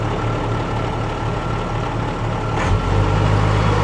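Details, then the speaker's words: Freightliner Unimog FLU419 SEE military diesel with loader and backhoe; steady low idle that rises slightly near the end as the in-cab hand throttle raises it, to make the backhoe hydraulics smoother when raising the boom; smooth, even engine. "I'm actually going to idle the truck up just a little bit, go back to that hand throttle inside the cab."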